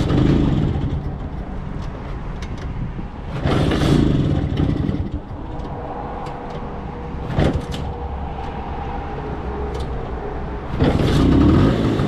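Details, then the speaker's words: Vespa LML 150cc scooter on a highway trip, earlier cylinder and cable troubles, starts first time after a rest stop: engine catches and settles into an even idle with throttle blips amid street noise; runs healthy. "Šesti put pali iz prve. Leti on."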